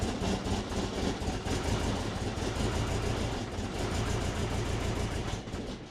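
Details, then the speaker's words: Turbo Subaru Forester, first startup after fitting and rewiring Haltech 980cc injectors: uneven, lumpy idle with an irregular low chuff three or four times a second. Rough idle after the injector change. "Doesn't sound too good."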